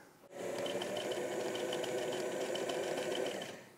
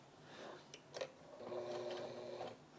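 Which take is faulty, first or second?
second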